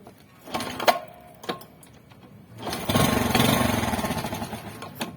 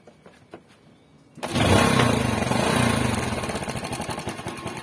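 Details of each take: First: Yamaha Spark small motorcycle cranks, catches roughly, then sags and stalls, unable to hold idle and stumbling while riding; over-rich flooded mixture, blamed on the fuel tap rather than the carburettor. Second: Yamaha Spark motorcycle after fixing the fuel tap (petcock), which had caused stalling, choking on revving and unstable idle: engine starts and settles into a steady, even idle without stalling.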